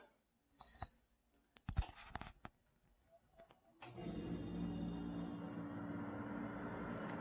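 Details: New Eurgeen dehumidifier first switched on in basement: a few handling clicks, then steady even hum with smooth fan rush as the compressor starts; runs normally.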